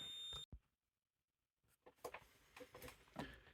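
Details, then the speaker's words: Kazeffi motorized zone valve on a thermostat test rig, end switch wired to a meter set to tone; quiet room, then faint short tones and clicks as the valve opens and its end switch closes, calling for heat. "So you'll see it activated the zone control valve, and you'll see in a second you hear the tone. Now instead of a tone, what would happen would be your boiler would be going off right now because it's calling for heat."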